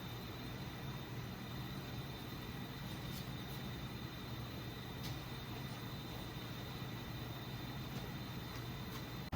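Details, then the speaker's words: Mercedes S550 S-Class engine health check with a leak-down test. A steady rushing hiss with a low hum is confirmed escaping out the exhaust, with oil found; exhaust valve leak. "Okay, finally just confirmed where it's coming from. It is out the exhaust, like how it sounds."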